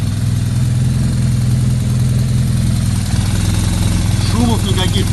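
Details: 2009 BMW R1200R boxer twin after gearbox repair, new bearings, new clutch disc, splines lubricated and a fabricated damper fitted: steady, even low idle rumble with no rattle or knock over it; normal idle.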